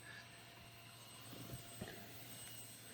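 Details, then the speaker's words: SounDigital car amplifier driving tweeters, amplifier cold: faint steady high-pitched whine over soft hiss; noise drops to about half once the amp warms up and is unnoticeable with music playing. "You should now hear the whine the amplifier makes, it's now worst when amp"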